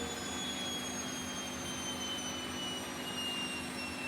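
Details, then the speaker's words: Bosch Vario Perfect WAK28260GB/11 washing machine, empty drum, spin (possibly not full 1400): steady airy whoosh with thin high whine falling as it winds down, no clear rumble or clunk; bearing wear suspected, not confirmed. "just doesn't sound that loud to me. Might just be me, but I don't think it's that loud."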